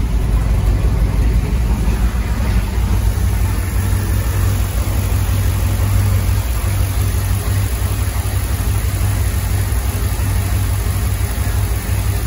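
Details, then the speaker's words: Land Rover Defender 90 with swapped Chevrolet 6.2 L LS V8, Dynomax Super Turbo muffler, oil topped off and air cleaner fitted, nearly warm (192°F): deep, even mellow exhaust rumble, no misfires, ticks or surging; smooth normal idle. "I'll uh grab the camera here and you guys listen to the exhaust really nice mellow Rumble"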